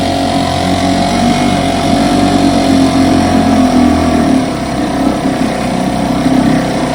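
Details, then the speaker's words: 1960 West Bend 2 hp two-stroke outboard, model 2901, fully rebuilt, barrel test run after restoration: steady even buzz with no misfires or knocking; running clean, normal. "Got her completely rebuilt, painted, waiting on decals. I should think Randy and Terry are going to make their own. So I'm about to set her in the barrel and do a barrel test run."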